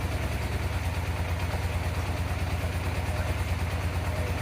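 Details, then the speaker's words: 1987 Yamaha FZR1000 Genesis inline-four, start after carb cleaning and priming, idle screw possibly needing adjustment; even, steady low burble at idle, regular pulse about three per second, sounds like a sport bike: normal idle. "Now it sounds like a sport bike."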